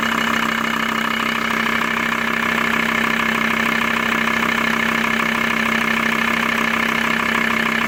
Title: bruit moteur t4 acv